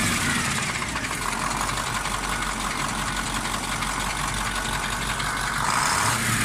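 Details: KamAZ 740.13 diesel before repair, idling: steady hard knock over the clatter around cylinder 8, quieter but not gone with its injector line loosened; piston knock from a scored cylinder 8 liner.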